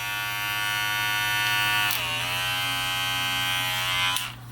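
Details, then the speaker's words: Red Pro clipper, all-plastic, rated 7,300 RPM, blade closed: steady high buzzing hum sags and wavers midway; weak, underpowered motor that won't go through thick hair. "in this is terrible. As far as the blade, this is the best thing about this though."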